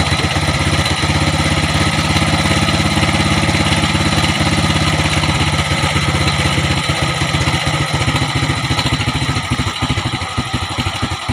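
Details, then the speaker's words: Motorcycle single-cylinder carburetor tuning, mixture screw turned clockwise (closing) until the idle weakens toward stalling: idle starts steady, then the beat turns uneven and sags toward stalling as the mixture leans. "ikutin natin ang pakanan o isara na to no, pahigpitan natin hanggang sa mamatay siya mga tol no, o humina yung minor nya."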